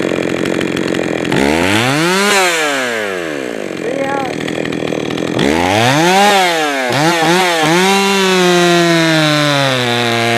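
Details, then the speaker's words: Jonsered 525 chainsaw revving, then stumbling and sagging in quick dips before idle; hesitation off the throttle shows the low-speed mixture is too lean, so the low-speed and idle screws get more fuel. "leave the way that it hesitate off the throttle that tells me that it's got uh it's too lean on the low side so I'll give it a little bit more fuel on the low side"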